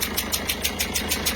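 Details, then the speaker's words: Peugeot 207 HDi diesel at idle: sharp regular chuffing puff over the clatter from leaking injector seal at cylinder 1, very loud; client reported no-start at times; injector seals to be replaced. "mais là on est quand même sur quelque chose d'assez poussé en termes de joints d'injecteur. Le bruit est assez énorme"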